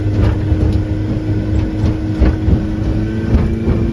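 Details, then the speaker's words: Mercury 90 hp outboard on a Shetland 535 boat, after a spark plug change, at full throttle and trimmed up, reaching speed 60.9: strong steady drone at constant pitch with no stumbles or missing beats. It is running normally. "so now I am sitting on the sea in my new boat with the engine that actually is running as it should I'm so happy about that"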